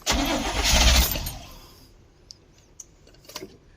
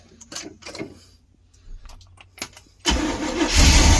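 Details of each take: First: 1972 Barth motorhome, gasoline engine unrun for 15 years, restart attempt after battery reconnected; a burst of cranking catches for about a second then dies to quiet. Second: 1972 Barth motorhome carbureted engine after 15 years idle, started with a couple carb pumps then electric fuel pump takes over: brief crank, quick catch, steady even idle, no knocks or misfires; coolant likely empty, temperature gauge didn't move.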